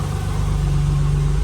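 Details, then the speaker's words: Ford BA Falcon drift car after swap to green top Barra inline-six (new welsh plugs, cleaned sump, 25% underdrive pulley): smooth even idle, steady low drone, no ticks or knocks, sounds good. "She's been running for a good 20 minutes, 25 minutes, just sitting here idling. Everything sounds good."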